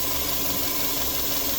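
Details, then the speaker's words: 2002 Subaru Forester turbo EJ25, check engine light, running lean at idle (P0171): constant airy hiss over a quiet idle with a faint steady tone, rpm changing when covered; vacuum leak from a broken, detached hose at the front of the intake. "i straight away as soon as i opened the bonnet i could hear a vacuum leak down the front here you can hear the rpm change you can even hit obviously hear that vacuum leak be shut up when i put that over there"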